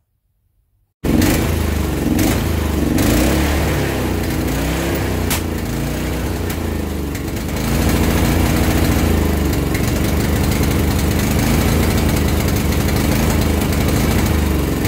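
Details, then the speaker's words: Barn-find Honda GX340 generator on a home-made CDI ignition, with a new carburetor fitted last year that never ran: it runs on choke but not off it. After idle and carb adjustment and voltage stabilizing, the speed still surges up and down. Idle hunting; owner suspects a carburetor blockage and plans to clean it. "well i got the voltage stabilized a bit still hunting a lot so i think i'm actually going to whip the carburetor off and clean it out"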